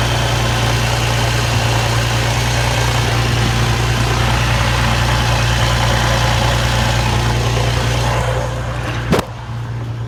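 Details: Infiniti G35 with a manual gearbox, heard at idle from the bottom of the car after an idler pulley delete: loose, uneven chatter and one sharp clunk. The owner suspects a bad throwout bearing and knows of stock flywheel chatter; the shop found the timing, tensioners and cylinders fine.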